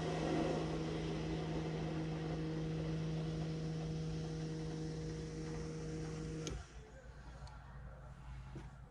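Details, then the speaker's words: BMW F15 X5 35d after fuel filter replacement, fuel pump powered directly from an impact battery to prime without a scan tool: steady electric hum with faint rushing of air being pushed through for about six seconds, then cuts off; fuel pump priming. "now um if this is correct then you'll hear the fuel pump run and you're going to hear all the air um kind of be pushed through the system so here we go"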